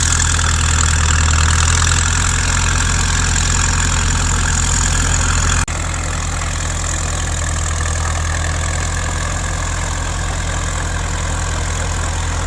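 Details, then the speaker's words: 1950s Caterpillar D4 bulldozer bought at a farm auction after sitting at least 20 years, pony motor started it; diesel runs really good while driving: even, deep thrum about 200 beats a minute, no knocking or rattles over track noise; normal running. "The diesel motor, she's a kitten, of course, right? It's a Caterpillar. It runs really good."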